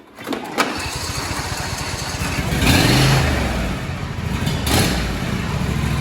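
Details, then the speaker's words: John Deere D160 lawn tractor first start after transmission replacement, hydro release rod pushed back in: small single-cylinder catches quickly, revs briefly, settles into a steady even thump with no knocks or grinding; runs fine. "Make sure you push it in all the way. Then you can go ahead and fire it up and see if she moves."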